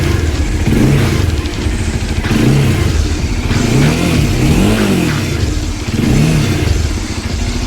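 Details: Bajaj Dominar 400 motorcycle after the fix, rubber padding fitted inside and a support added to the panel: quick throttle blips rise and fall cleanly over a steady idle with no buzzing panels or loose rattle.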